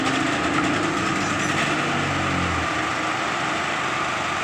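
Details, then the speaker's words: 7,500 generator with GX-type engine that wouldn't start, now running with an even steady buzz without surging or dying after CDI and carburetor replacement; normal running. "Oke setelah mesinnya hidup normal dan Jos sudah normal"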